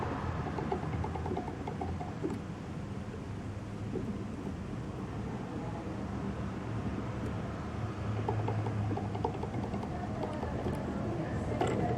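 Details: Turnigy Multistar V2 2206-2150KV brushless motor ("Baby Beast"), one of four arrived with very bad bearings: rough, gritty rumble with scattered creaks and clicks.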